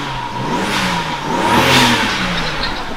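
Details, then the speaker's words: Healthy turbocharged engine of a BMW E60 535xi (Copart car that didn't run, revived after new battery) revving twice cleanly, smooth pitch rise and fall, soft turbo whoosh, no misfire. "Oh, the turbos sound so nice, bro."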